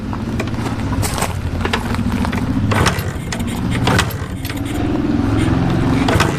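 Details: 1981 Suzuki TS 250 two-stroke started after years of sitting: uneven, popping two-stroke idle with some mechanical rattle over it, firing and staying running; normal running.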